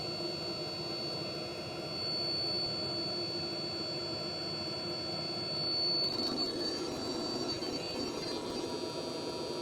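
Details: Hcalory 12V 5kW water hydronic diesel heater on a test bench, water warming: steady whooshing burner roar with a fine high fan whine, even, then a slight shift in tone. Normal running.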